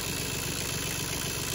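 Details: Diesel tractor at cold idle with fast, even ticking over the clatter, seemingly near a part marked oil; owner guesses the oil pump but is unsure. Ticking lessens and nearly disappears once the engine is fully warm.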